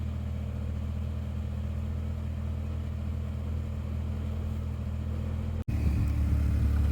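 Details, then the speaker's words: 1993 Mk1 Ford Mondeo saved from salvage auction; started first time, steady low even hum with smooth unchanging beat, no knocks, misses or smoke, idling nicely and sounding healthy. "That sounds quite good to me. Started first time. Idling nicely."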